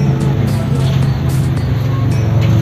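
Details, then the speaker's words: 2009 Honda City i-VTEC after tune-up (spark plugs, coils checked, throttle body serviced), warm idle: low, even, steady hum with no ticks or surging; earlier unstable rpm and intermittent loud "tek" when warm now gone, no warning lights; normal idle. "Alhamdulillah akhirnya permasalahan di Honda City ini terselesaikan. Langsamnya ya didengar itu cukup halus dan stabil."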